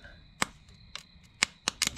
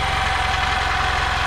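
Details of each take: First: 1992 EZ-GO golf cart, 2-cylinder Robin engine that sat 16 years outdoors, first crank test on a possibly weak battery: a few clicks, then fast, even cranking that spins strongly but never catches, with no spark yet; cranks but won't start. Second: 1992 EZ-GO limousine golf cart, 2-cylinder Robin engine revived after sitting 16 years outdoors: low, even putter with steady firing pulses, no misses, knocks or smoke, very quiet; normal idle.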